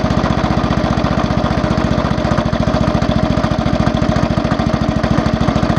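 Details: Small motorcycle engine at idle: loud, fast steady hammering knock, several beats a second, getting louder over time; owner suspects crank side bearing or connecting rod big-end bearing.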